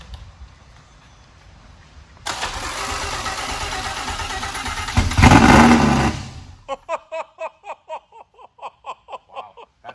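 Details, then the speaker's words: First start of project car's V10 on OEM engine computers: starter cranks, engine catches and roars loud and steady about four seconds before cutting out, louder than expected; clean healthy first start. "it sounds like i thought it was going to sound like holy but that's way louder than i expected"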